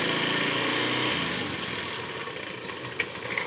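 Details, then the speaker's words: Honda Beat scooter at idle: coarse, gritty CVT rattle about three pulses a second that goes away when throttle is applied; suspected pulley roller housing or rollers, fixed by replacing roller housing and rollers. "Untuk keluhan sepeda motor ini bunyi berisik pada bagian CVT. Bunyinya seperti apa? Kita cek. Untuk putaran stasioner bunyi, tapi ketika sudah digas ada hilang, ada bunyi ya."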